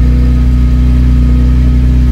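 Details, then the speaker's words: Vauxhall Cavalier Mk2 at idle after temporary weld repair of the exhaust (small pinhole remaining): steady low even drone, no puffing or ticking at joints, runs smoothly; normal idle. "Oh, I'm well chuffed with that, considering that was a total sort of bush tucker fix, if you like. That's pretty good. It sounds alright."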